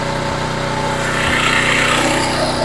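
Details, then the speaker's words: Homelite HGCA3000 3500 W generator after new carburetor and head gasket, choke on, started easily: single-cylinder engine holds steady even idle, no load, no misses or knocks, 122-124 V, 61.8 Hz; normal idle. "okay machine is on choke is on starts really easy"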